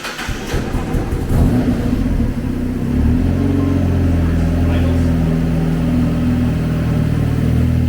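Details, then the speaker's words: Project Exocet, still untuned: it catches after a short crank and settles into a loud, slightly lumpy idle on one of its first starts. "Now, mind you, it's untuned. Yes, untuned, but..."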